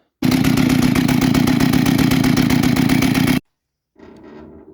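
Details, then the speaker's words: Jonsered 625 chainsaw idling after cleaning, with chain still driven because clutch stays engaged; two-stroke buzz with steady chain clatter about four per second, then cut off. Owner suspects weak clutch springs, drum bearing looked fine. "we haven't solved the problem yet. Probably a problem that maybe the spring has gone weak in the clutch and I've looked now at the plate and it's a 625."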